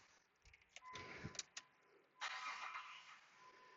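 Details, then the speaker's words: 2004/2005 Jeep Grand Cherokee, after fixing a no-crank no-start by replacing the computer (plug and play), mic near alternator belt: a few seconds of cranking, then it catches at once and settles into a steady, even run; normal crank and start. "and i did starts and run so it is a plug and play so this is nice as you can see cart is running so again just a confirmation of the diagnosis"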